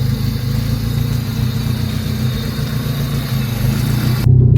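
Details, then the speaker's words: High-mileage Honda EK hatchback at idle and revved: loud, raspy, uneven low rumble with a harsh puffing edge; exhaust leak from a cracked exhaust manifold, new manifold and exhaust planned. "It already sounds kind of horrible, but I'm gonna rev it so you guys can hear how bad it really sounds. Yep, sounds like shit. There's a crack on the manifold."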